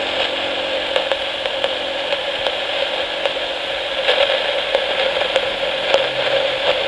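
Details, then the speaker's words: 1961-era Lafayette RK-120 battery portable reel-to-reel tape recorder, foot-switch contacts recently cleaned to cure motor speed problems: steady hiss with random crackly static and faint ticks every two-thirds second; amplifier static, suspected noisy germanium transistor, not confirmed. "You may have heard the random kind of static noise that was generated from the amplifier. That is a specific kind of static noise that seems to be the telltale signs of a noisy germanium transistor."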